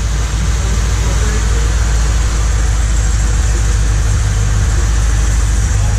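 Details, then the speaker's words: Lincoln Mark VIII after manual transmission swap, first start while bleeding coolant: heavy low drone with fast irregular chatter over idle; new noise, suspected clutch, power steering or exhaust leak, not confirmed. "What's that noise? Oh, I think we got an exhaust leak already, boys. That's the fucking clutch, isn't it? Is that the clutch or power steering?"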